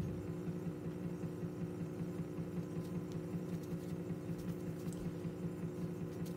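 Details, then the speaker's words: Electrohome portable record player with crystal cartridge, under repair: steady low hum with a faint soft thumping pulse during playback; high notes also sound scratchy. "You can hear a little bit of a thumping noise."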